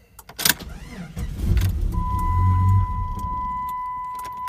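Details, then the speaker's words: 1997 Jeep Grand Cherokee locked, then opened with the key and alarm activated; the engine catches, runs briefly and shuts off as a steady tone and dash module clicking sound; the alarm immobilizer cuts the engine, and it starts once unlocked with the fob. "so we're going to try and start the jeep and it shuts it down you can hear the clicking"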